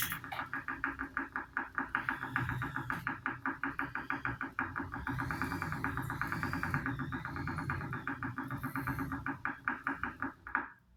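A steady, fast knock, about four per second, runs evenly over a tonal hum; a repeating knock whose cause isn't clear.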